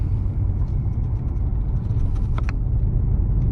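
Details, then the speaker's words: 2005 Pontiac Grand Prix GXP, 5.3 LS4, idling after it suddenly started acting up on restart, no check-engine light or codes: lumpy uneven low rumble with irregular stumbles; rough running, owner feels only a couple of cylinders fire, cause unknown. "I start the car and it was acting like that so I don't have any lights so at this moment I don't know at all what is happening"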